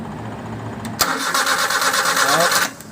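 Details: Suzuki F6A 12-valve engine, crank-no-start being troubleshot around CDI and distributor: the starter spins the engine in an even, fast churn for under two seconds, then stops without the engine catching.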